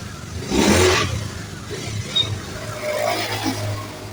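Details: Honda Beat FI (ACG starter) scooter that stuttered (brebet) when pulling away, with a 7-blink indicator code that wasn't the real fault; road test after repair: rising revs with an even, unbroken note, more responsive, no stutter or misfire.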